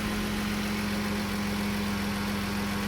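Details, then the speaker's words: 2014 Dodge Journey 3.6 after camshaft replacement, check engine light on: steady even idle with no misses, knocks or ticks, revs up well; owner says it usually turns rough after 30 seconds to a minute of running. "but now it's idling fine doesn't have any misses feels real good motor runs nice and smooth it revs up real good"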